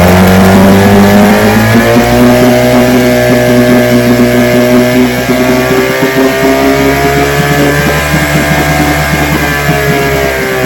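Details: Vintage two-stroke outboard (restored then repaired), 5-minute run, started with throttle on high after extra primer pumps; even, crisp buzz holding steady speed with no misses, knocks or surging, ran good.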